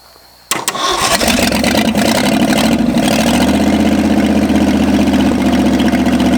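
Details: 1965 Ford F250 V8 after 26 years parked, only briefly run, no blow-by yet: cranks, catches and fast, ragged idle; seems to have too much timing, distributor stuck and must be moved; over-advanced ignition timing.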